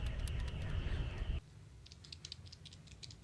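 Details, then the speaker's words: HPEVS AC50 AC motor from an electric delivery van, two years in service, noisy at 1,000 rpm: the removed old ball bearing, spun by hand, gives a loose, gritty, uneven rattle like a literal baby rattle. Worn bearing. "suena como una como una sonaja literal es el balero viejito"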